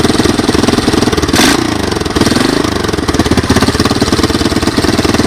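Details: 1986 Honda TRX200SX single-cylinder, cold start on choke with a portable GY6 12V ignition and Honda 200S carburetor: steady, even cold idle with one brief blip, started easily, no bad sounds, smoke or oil leaks; normal.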